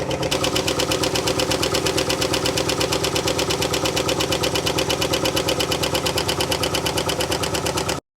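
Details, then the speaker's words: 1958 Mercury Turnpike Cruiser V8 idles with sharp, rapid metallic ticking from the passenger side, vacuum lines disconnected; cylinder 4 pushrod not spinning and most pushrods not oiling, owner suspects a dry lifter. "hear the ticking passenger side I'm going to record it and then I'll explain it"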